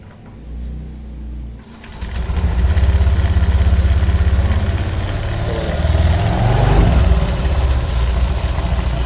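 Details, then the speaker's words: Honda Vario 125 LED scooter, tested before teardown, idling and revving: coarse, uneven rattle from belt drive; rough CVT noise caused by stiff roller housing cover that won't flex to follow rollers up and down. "Ternyata permasalahannya ada di tutup rumah lolernya guys ya. Oh, ininya keras, jadi dia nggak mau apa namanya ya, fleksi, nggak ngikutin ketika lolernya posisi di atas atau posisi di bawah."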